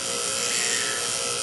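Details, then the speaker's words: Whirlpool rotary vane compressor that wouldn't start, running with its head removed: fast, steady hissing whir with a thin tone over it as the exposed rotor spins. "it started up without its head on and you don't dare put your fingers or anything in there while spinning"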